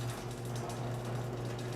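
Even, low motor hum holds steady for about two seconds, then cuts off cleanly; the opener drive runs normally.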